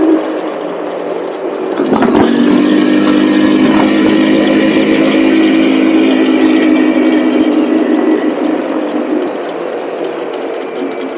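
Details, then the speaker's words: Cheap buggy's small single, hot, riding after fitting a 120 jet; revs cleanly with a steady buzzing note and only faint occasional stumble; smooth running after jetting. "you can just tell that is so much better there's still a little hesitation every once in a while but I mean it it's it's night and day there"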